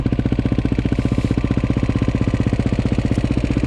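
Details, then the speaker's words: KTM 530 EXC-R single-cylinder started cold on choke in a December winter: thumping idle with a light metallic clatter on each beat. This is cam chain slap, because the hydraulic tensioner relies on oil pressure and the oil is too thick when cold. "you hear that chain tensioner a chain tensioner makes way too much noise in these bikes because it's a hydraulic chain tensioner it relies on the oil pressure inside the motor to tighten the cam chain"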